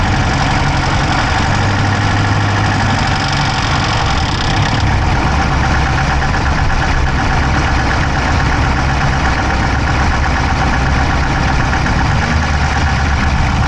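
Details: Dodge Charger Hemi V8 at idle, camera inside the engine bay on the driver's side: fast, even top-end ticking keeping pace with engine speed; no smoke from the pipes, owner doubts a dropped valve, cause unknown.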